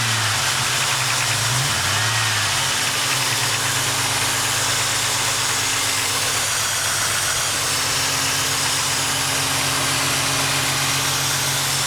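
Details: Ford Mustang idling with an irregular stumble and uneven beat over a hissy background, a random misfire (code P0300), later traced to a vacuum leak, aftermarket ignition coil, wires and plugs, and shorted O2 sensors.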